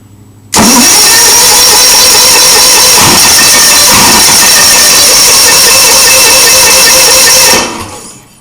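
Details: Onan engine with a new coil and wires and confirmed spark; steady whirring crank for about seven seconds with only an odd weak catch, never picking up; unburnt fuel vapour seen at the exhaust; sounds like only one cylinder firing. Cause unconfirmed.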